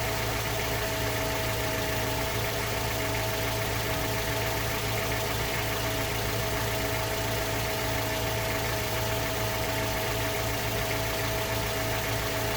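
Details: Mazda 3 BL 2.0 MZR DISI, cold start idle: injector ticking with a dull metallic knock underneath, steady with idle; owner suspects piston slap or rod bearing, unconfirmed.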